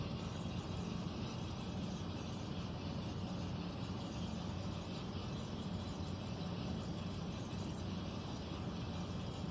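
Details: Central air conditioner indoor unit, apparently above the bedroom closet, making a steady low droning rumble with no clear beat; owner questions a possible leak; abnormal air handler noise, cause not confirmed.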